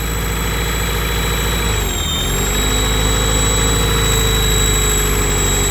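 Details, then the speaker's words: Honda Prelude idles steadily but too high, around 1500 rpm earlier. It keeps running even with the intake fully sealed, so a vacuum leak is presumed, location unknown. "I got a full seal on that and it still runs it's safe to say there's a vacuum leak but I'm not sure something in here is leaking terribly"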